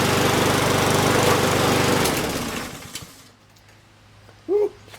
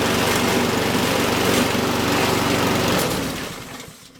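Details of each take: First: Walk-behind lawn mower after removing and rebalancing a bent, unbalanced blade: steady, even single-cylinder putter with no lumpy shake, then winding down; some smoke from oil in the exhaust, vibration much reduced. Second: Honda walk-behind lawn mower at high engine speed, then winding down: rough, rattling buzz as the whole mower shakes violently; suspected bent or out-of-balance blade or debris underneath, vibration that can destroy the motor.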